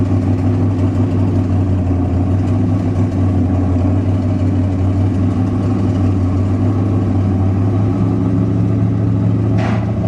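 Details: 1966 Corvette Stingray, 425 hp 427 big-block, recently recommissioned after sitting 15 years, recorded from the passenger seat: deep, steady V8 idle with even low rumble, no knocks or misses; normal, healthy idle.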